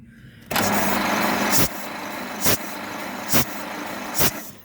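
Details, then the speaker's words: 1927 Pirsch fire truck engine, unused since about 1994, cranked with one cylinder open at a time to check compression: soft puffs about once a second; this cylinder is quieter and weaker, suggesting lower compression. "that one's a little quieter but it's definitely got something that was a little less too"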